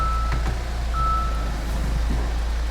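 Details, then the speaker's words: Hyundai Maxcruze (Santa Fe DM) with rolling noise near driver's door on pulling away and braking, after removing a lip balm lodged inside: low even road rumble, faint brake disc hiss, no rattles; cabin quiet, no parts replaced. "안 나. 안 나네. 전혀 안 나네. 디스크 밀리는 소리밖에 안 나네. 되게 조용해졌다."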